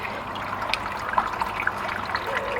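Steady trickle and splash of water falling back into the pit with no grinding or rattle; the sump pump is pumping normally.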